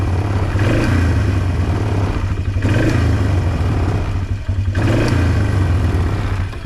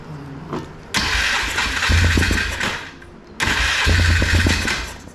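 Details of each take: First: 2005 Polaris Trail Boss 330, not run in years, after replacing the leaking intake boot and refitting the carburetor: steady single-cylinder running with gentle rev swings, no misses, may need mixture or idle screw adjustment; normal running. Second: 2005 Polaris Trail Boss 330, not run in years, airbox refitted: starts and settles into a raised, slightly hunting idle, fast because contact cleaner was sprayed on an intake boot air leak; fast idle from intake air leak.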